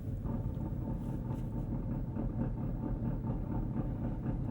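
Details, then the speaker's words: 2016 Porsche 911 R flat-six with single-mass flywheel and six-speed manual, cold day, idling in neutral with clutch out: light fast chattering gear rattle that quiets with clutch in. Normal single-mass flywheel gear rattle at idle. "so the Dual Mass flywheel will shut that up quite a bit I don't think a lot of people love that sound"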